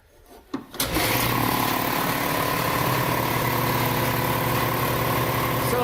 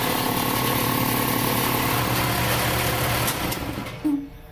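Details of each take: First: Sanborn Commercial 60 gallon vertical shop air compressor, electric: switch clicks, motor catches and settles into a loud steady low rumble with even pumping beat and slight cage rattle; normal, can talk over it. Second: Sanborn Commercial 60 gallon vertical shop air compressor running: steady low motor drone with a faint tinny rattle from the cage until it spins down; otherwise a normal low rumble.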